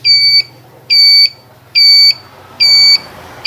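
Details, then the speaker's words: Motorbike turn-signal flasher relay, the buzzing type, beeps sharply about seventy times a minute in an even rhythm whichever side is switched on; normal buzzing flasher, which owner wants silenced. "đây là chớp kêu. Bên nào bắt bên nào nó cũng kêu hết trơn, các bạn thấy không?"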